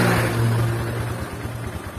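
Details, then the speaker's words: Honda CB150 Verza, about 2020, that seized after being run without oil; rebored with a 50 oversize piston, first start after refilling oil, no throttle: it catches cleanly into a steady, even idle with no knocks. Normal; reset still needed after rebuild. "jadi halus mesinnya yang lainnya tidak ada masalah cuman di boring doang sama piston nih"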